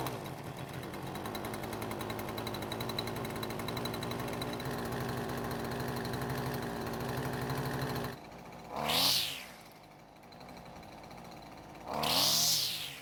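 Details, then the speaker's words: Husqvarna string trimmer after its engine was swapped for another used engine: steady two-stroke buzz, revs up sharply twice and drops back to a clean idle each time without stalling, unlike before. "So as you can hear, it's running better than ever and it's not stopping like it was before."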